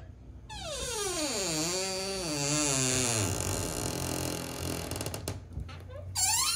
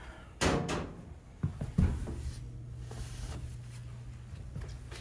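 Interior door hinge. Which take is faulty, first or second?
first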